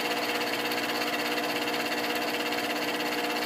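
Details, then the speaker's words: Bathroom fan-heater blower, run with a wire bridging the blown fuse, heater coils glowing: constant whirring hum with an even airy rush, no rubbing; now spinning freely, owner suspects dirt and dust had stopped it. "maybe it wasn't spinning before because it was so dirty and dusty turn that off because that seems to be working now"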